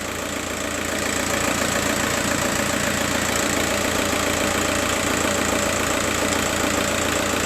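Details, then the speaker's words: Diesel engine idling after a service for hard starting: injector number three intermittently misfires, its signal sometimes dropping out (the pin 7 injector loom wire may be open or broken) as the engine note changes, an uneven loping beat. "injector number three is misfiring and as you can see uh sometime the signal there is no signal. Look and you you may hear the sound of the engine is changing when there is no signal appearing here."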